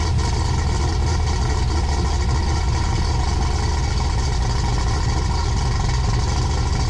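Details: 6.8 LS3 stroker V8 in a '55 Chevy pickup, first start after correcting a four-cylinder running fault from unplugged injectors: deep, even rumble holding steady with no misfire or stumble, all cylinders firing cleanly.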